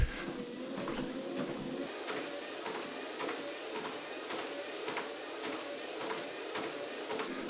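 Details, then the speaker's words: Horizon 7.0AT treadmill running at 3 mph: steady motor hum with light even ticks about three per second, no grinding or squeal; running normally. "So I'll start up again here, and I'll let you have a listen at different speeds. So I'll dial it up to 3."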